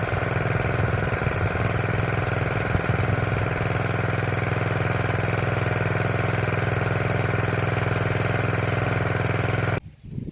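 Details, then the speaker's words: Motor pump running after tightening the loose screw holding the rotor disc, on a windy day: steady, even rhythm with no grinding or missed beats until switched off; pump back to normal. "apertou ele você vai ver que a bomba vai voltar a funcionar normal de novo"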